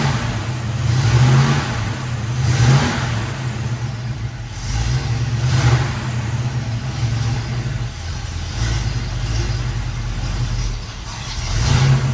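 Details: 1973 Chevrolet K5 Blazer V8, bought with a broken motor and now repaired, driving on a test run: deep, steady V8 rumble rising and falling smoothly with throttle, no knocks or misses; normal engine running while driving.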